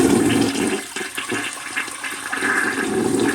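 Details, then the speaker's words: Toilet after its broken fill valve was replaced with a new one: strong, even, uninterrupted rushing gurgle as the tank drains into the bowl, a clean normal flush, with no more leaking into the bowl. "But here's what we're gonna test. So now we're gonna let all the water go from the reservoir."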